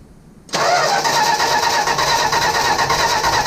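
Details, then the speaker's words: 1965 Plymouth Barracuda that sat for years and now only turns over, battery charged: starter spins steadily about three turns a second while checking spark, but it never fires; crank no start, cause not yet known. "all right no it ain't firing same time at all"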